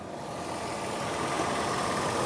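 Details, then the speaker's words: 2001 Nissan Pathfinder LE, VQ 3.5L V6, rust-free California truck, heard with the hood open: smooth, even, steady idle with no knocks, misses or ticks. Healthy idle. "very happily. There's our tried and true V6."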